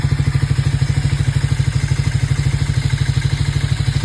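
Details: Triumph Speed 400 after engine sound problem resolved: even, regular idle beat around two and a half pulses a second with no knocks or rattles; normal idle.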